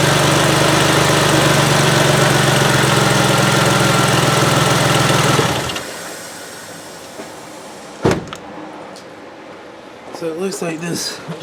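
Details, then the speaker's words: 2005 Ford Freestar 3.9L after an engine swap and crank-no-start repair: engine runs evenly with a steady hiss over the idle; vacuum leak because the brake booster hose fitting had fallen out. "hose fitting for the brake booster had fallen out i don't know if there's supposed to be a holder that keeps that in there or what"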